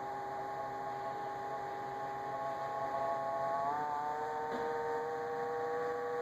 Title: Samsung fridge making noise